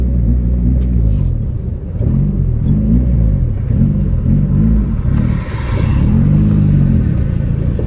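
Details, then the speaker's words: 1987 Yugo GV after 15 years sitting, new fuel pump, first drive on choke, squeaky belt: engine surges and sags unevenly, stalls when gas released, dislikes choke; running rough, cause unconfirmed. "doesn't like the choke she's not running real great right now as soon as i let off the gas she'll stall"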